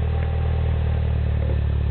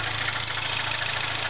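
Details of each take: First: 2008 Mini Cooper Clubman S, turbo 1.6 petrol, 6-speed, stainless MagnaFlow cat-back exhaust, cold start after a week sitting: steady, even low burble at idle with no misses or rattles; normal cold start idle. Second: MINI Clubman S, turbo 1.6, 6-speed, Magniflow cat-back exhaust, cold start: fast even light ticking steady with engine speed, like a knock; cold idle ticking, suspected valve tap or lifter, unconfirmed.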